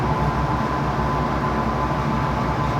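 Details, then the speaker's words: Soft-serve ice cream cone machine, Italianinha brand, production side motors after repair: loud, steady, even hum with no surging, knocking or stalling; motor and compressor start and run normally, machine freezing. "deu barulhinho vou ligar aqui na parte de produção esquerda olha aqui galera ó ó até partiu compressor já ó tá vendo aqui se partiu compressor ó já começou a gelar"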